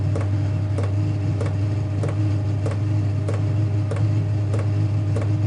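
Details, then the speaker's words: Chinese diesel heater after glow plug replacement, warming up with pump set to settle at 4 Hz: steady fan hum with even pump clicks about every 0.6 seconds, winding up as warm air leaves the vent pipe; normal warm-up running. "so yeah you can hear it winding up we've got warm air starting to come out of the out of the vent pipe so that's good"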